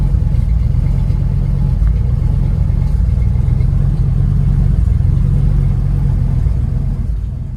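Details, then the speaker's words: Ford F250 after new battery cables and ignition cylinder: heavy low rumble with uneven lumpy pulsing that never settles, fading at shutdown; running rough, battery light on, owner suspects bad alternator. "the battery lights on not 100% but I'm pretty sure that means our alternator's bad you can hear it's running rough now I'm going go ahead and shut her down"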